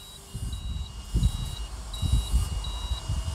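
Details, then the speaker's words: Continuity test on a new temperature/cluster gauge: clean high beeps about every 0.7 s with the key on, and no beep once the key is off. No short, unlike the old meter, which stayed continuous with the key off from an internal short. "इसमें से beep की आवाज़ नहीं आ रही है। चाबी बंद होने पर यह बीप नहीं कर रहा है।"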